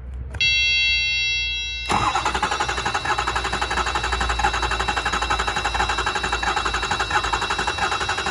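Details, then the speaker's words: 2007 Ford F-250 6.0 shaking, with cylinder 5 misfire codes, cranked with the key off so it won't start. The starter churns with a loping rhythm that stumbles once each cycle: uneven cranking from low compression, not injectors. "y aquí es problema de compresión no es nada más inyectores nada de eso es problema de compresión"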